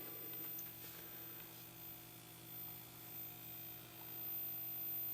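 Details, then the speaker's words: Philco 52-T1802 tube TV after recapping, first power-up at about 80–110 volts: thin, steady flyback whistle over low mains hum; high voltage present, filaments lit, but no raster or sound, cause not yet found. "it sounds like we got high voltage not seen any sign of light from the picture tube yet looks like everything's lit up there and no raster and no sound"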